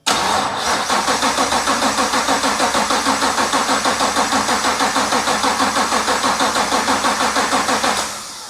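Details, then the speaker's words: BMW 635CSi E24 with a 6.2L Gen V LT1 swap, first start: about eight seconds of rhythmic cranking with no firing. Owner suspects a dying battery gave too few cranks to push fuel from the low-pressure pump through the high-pressure pump to the injectors. "so i think i understand why the car didn't start at first and the reason is because the battery was dying i wasn't getting enough cranks to get the fuel from the low pressure fuel pump through the high pressure fuel pump and into the injectors"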